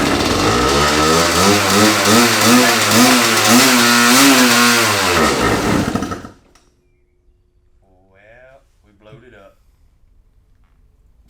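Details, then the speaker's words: 1985 Honda CR500 two-stroke, cheap swap-meet bike, first start: screams at high revs, surging instead of dropping to idle, then cut by kill switch; throttle suspected of sticking. "all right so it ran uh your throttle is sticking is that what happened or it kind of It kind of seemed like it was uh sticking"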